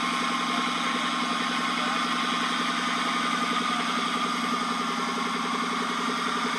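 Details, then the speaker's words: 2014 Dodge Charger Pursuit 5.7L HEMI, 5-speed automatic, 116,000 miles, after driving through flooded roads: thin, steady high whine from driveshaft tunnel over quiet idle; owner suspects carrier bearing or U-joint, not confirmed. "right here is where I suspect the nois is coming from is that uh carrier bearing right there but it actually uh turns out I believe the noise is actually coming from that U joint"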